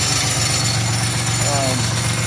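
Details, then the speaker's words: 2002 Chevy Malibu 3100 SFI idling after crank sensor replacement (oil in the sensor plug had caused intermittent shutdowns): light clattering over the rumble, owner suspects a bad bearing, possibly the air conditioning compressor. "a little bit of clattering i think i've got a bad bad bearing in something another would be surprised if it was the uh little air conditioning pump but that's another problem for another day"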